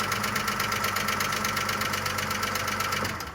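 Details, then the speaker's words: Audi A6 at idle after a repeat repair for hydraulic lifter knock (water/condensate found under the cover); fast light ticking clatter about three per second, louder before and slowly fading as oil reaches the lifters, which may have been damaged running without oil. "Масло также стучало или громко? Да нет, она громче стучала. Уже мало. Потихоньку пропадает, постепенно."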